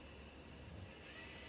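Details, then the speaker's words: Hornby T9 model locomotive after motor replacement, new motor not yet run in: thin steady high whir with gritty hiss, doesn't sound healthy but works far better than before; owner expects it may sound happier once run in. "ower alright well it's working I can hear that motor spinning up it doesn't sound healthy I must admit but of course it works better than not"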